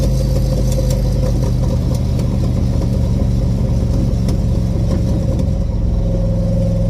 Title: I really should fix that exhaust leak